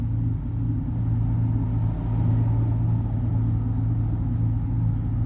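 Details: Chevy V8 idling with a steady, even low rumble and no stumble or skipped beats. It had an unstable idle with a cylinder 8 misfire; the shorted oxygen sensor wires were repaired, and all cylinders now run evenly.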